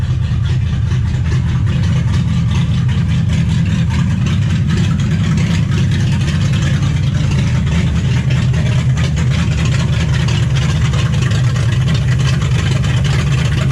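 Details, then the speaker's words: 1955 Chevy at its first start in 16 years: loud, low, lumpy, uneven idle with no clean rhythm. Timing not yet set and the unfamiliar carburettor is untuned; rough running. "trying to figure out how to haidle this thing down because this corporator is not one that I'm familiar with and someone made my father has lost paperwork so it runs like ass"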